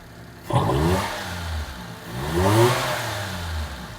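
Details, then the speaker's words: Mitsubishi Toppo BJ with homemade Blitz intake and Blitz exhaust: two sharp throttle blips rising and falling cleanly with raspy intake growl; small engine revs freely, no misfire. "And it sounds pretty freaking gnarly. It sounds like raspy, like an intake, legit. Coupled with the Blitz exhaust, it sounds cool."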